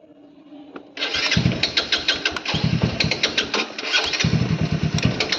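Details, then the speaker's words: Motorcycle left three days without refuelling: starter churns in fast uneven pulses, about three a second, without catching or running; cranks but won't start, cause suspected, not confirmed. "ওরও star নিচ্ছে না আমারও star নিচ্ছে না।"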